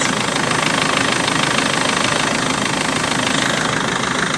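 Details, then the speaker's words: 2005 BMW E46 320d Touring diesel, 228,000 miles, first start after water pump and viscous fan replacement, not yet warm: steady even idle clatter, starts first time, no fan squeaks, no knocks or misses; normal idle. "starts on the button first time every time no fan squeaks fan BL is happily everything sounds good"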